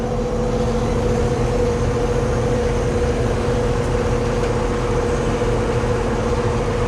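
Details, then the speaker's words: Carrier central AC outdoor condenser after a fix where the fan ran but the compressor didn't: steady even compressor hum, no knocks or rattles, now blowing cold. "Let's test it out. I do hear the compressor."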